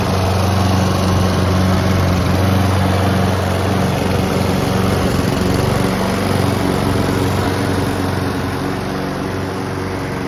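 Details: Honda and Mountfield petrol lawn mowers running side by side, being run dry of fuel before winter storage: steady even beat, no misses or knocks, both clean and healthy; normal running.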